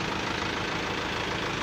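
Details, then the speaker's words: Isuzu Elf NLR 55 diesel after crankshaft-failure rebuild, cold morning start with oil pressure up; soft, even idle with steady low rumble, no knocks or ticks; healthy, calm engine. "nah ini untuk suaranya aman oli sudah naik suara nya udah anteng empuk"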